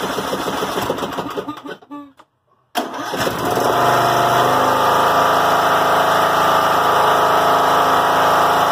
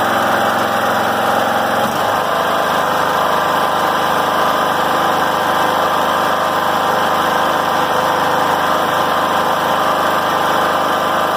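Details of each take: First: John Deere L100 rider, Briggs & Stratton Intek 17 hp, before repair: cranks, catches, settles to fast steady drone, idle stays high; governor ruled out, bent governor spring found. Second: John Deere L100 rider, after governor arm reset: steady even high idle about 3100–3200 rpm, within 2800–3200 spec, no surging or missing; healthy.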